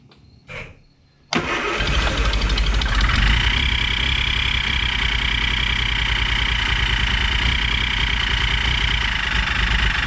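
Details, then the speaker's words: 1967 Triumph GT6 started without choke. A steady, high-pitched whistle rides over the idle rumble and changes with throttle position; the owner believes it comes from the carbs, perhaps the front one, and suspects air being sucked somewhere. "It sounds like it almost sounds like it's sucking air from somewhere."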